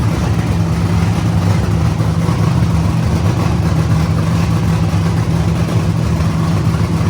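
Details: Idle on the first-ever start of the CLIK-B8 wagon project; painters tape is over a manifold hole that made it run lean. A loud, steady low rumble holds with no stumble or hunting, so the idle is normal.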